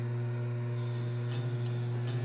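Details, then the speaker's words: Vision Line Hudson 700E model locomotive (6-11209), main smoke unit switched on: steady low electric hum with faint fast ticking, cab starts blinking, unlike the auxiliary whistle smoke; main smoke fan motor failing, needs replacement. "and you can hear the fan, and there it goes. It's already starting to blink. So now I know I've got to replace the main smoke motor."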